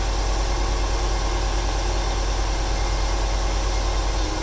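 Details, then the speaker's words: 1995 Ford 300 inline-six with over 400k miles: deep idle stumbling about three times a second in an uneven beat, with a faint belt chirp on top. It stutters more on throttle and smoke comes from the PCV. Owner wonders whether fuel or timing is to blame. "It started to stutter there a little bit more when I applied the gas right off the bat. Wonder if it's a fuel issue or a timing issue."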